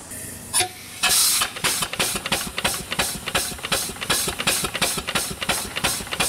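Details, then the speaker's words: Newly delivered steam engine, first run in decades, held up by hand on drums before a base is built. Crisp, even exhaust chuffs about three a second after hissing starts; runs well. "Okay, really good running engine."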